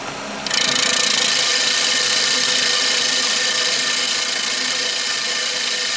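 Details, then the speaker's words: Backlapping an old reel mower by hand: reel spun backwards against the bedknife with grinding paste, steady hissing, scraping grind at constant speed; the nasty squeaking fades as the paste does its job. "So what you want to let that do is just grind through like that for a while. Just keep it on, keep it rolling. And over time you'll slowly hear that nasty sounds start to disappear quite a bit, and that's when you know your paste has done its job."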